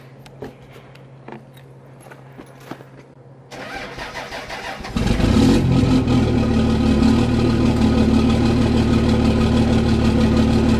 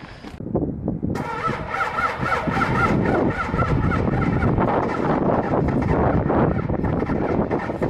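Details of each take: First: Cummins diesel with grid heaters disconnected, cold-started at +2 degrees after a warm night: a brief starter whir, then it catches straight into a steady, even clatter with no loping or stumbling, a clean start. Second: Cummins diesel truck with grid heaters unplugged, not plugged in, after sitting two days at minus 16 degrees: short crank, catches after about a second and settles into a loud, uneven clatter, a hard cold start.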